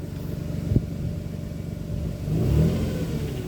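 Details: 2007 Nissan Pathfinder 4.0 V6, 5-speed automatic: faint whine rising with engine revs, heard from underneath; shops blamed timing chain or pulleys, but a transmission fluid change fixed it.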